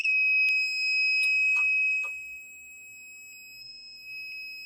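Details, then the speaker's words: Rotax 185 ignition timing check with a buzz box and lid off: high steady buzzing with a few sharp clicks, then the note drops and quietens at the instant the points open and the plug fires. "okay that's what I'm listening for when I'm doing this that tells me the it's the absolute instant that the points open and the spark plug will fire"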